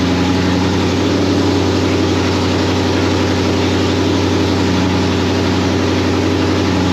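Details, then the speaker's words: 1991 Mustang GT Foxbody, first run since 2000 on factory computer after fixing TFI wire and distributor: steady even idle, smooth low drone, no knocks, misses or surges; timing still to set, possibly one tooth off. "Chuck, your car is alive. Unreal. And on the factory computer, boom, that thing just fired right up."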